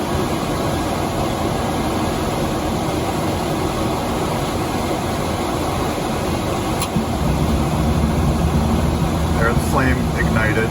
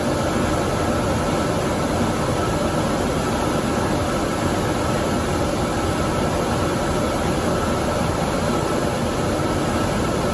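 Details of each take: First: Dometic furnace in a Fuzion 429 5th wheel, with the sail switch manually held closed by hand: blower rush, then a soft whoomp near seven seconds as the flame ignites and the roar deepens, and it keeps running. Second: Dometic furnace in a Fuzion 429 5th wheel, with the sail switch pulled out of the fan housing and left inactive: blower runs with a faint whine but the burner never lights because the circuit is not complete.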